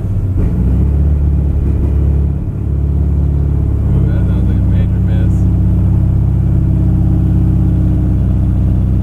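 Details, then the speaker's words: 1978 Chevy C10, 383 crate V8 of about 430–450 hp with a fuel injection install and a history of fouled plugs: deep, uneven rumble that sags and hunts at idle and needs throttle; AFR reads 20 against a 13 target, running lean. "is 20. why is the afr 20 and when the target is 13. why would it be going so lean like that?"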